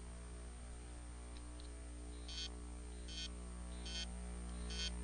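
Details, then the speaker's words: Hard drive: short raspy buzzes repeating about every 0.8 seconds over a low hum; head stuck to the platter (stiction), fix is to break the head free from the platter rather than whacking the drive. "hear that so that's a head stuck to the platter so in most cases I can do I can do a couple of things but basically what I need to do is break the head free from the platter"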